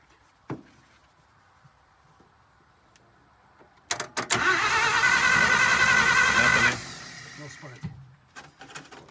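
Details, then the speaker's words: 1951 Pontiac Chieftain straight six, first start attempt in 25+ years: starter cranks evenly about three seconds with no firing; crank no start, points suspected of giving no spark. "I'm just gonna open up and close the points see if it's creating a spark if it's not the points are probably"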